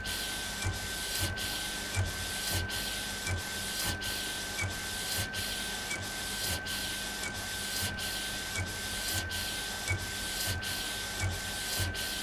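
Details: Epson Stylus Pro 4880 textile printer, first run after repair: even carriage sweeps about every 1.3 seconds over a steady soft whir, no grinding or catching; normal printing.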